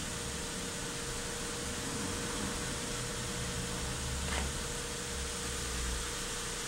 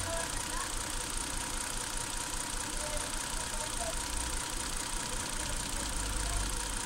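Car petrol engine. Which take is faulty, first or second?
second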